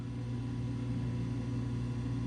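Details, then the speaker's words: Coleman DGAA056BDTA furnace after installing a new combustion blower motor for a three-flash air switch error: gradual whine then steady low hum, the inducer motor running normally. "that's how that motors supposed to sound a gradual whine and then come on"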